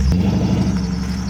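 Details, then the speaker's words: Deep, even, steady rumble with no ticks or knocks from a cheaply bought car running healthy before a parking-lot drive; it sounds good. "Oh, it sounds good too."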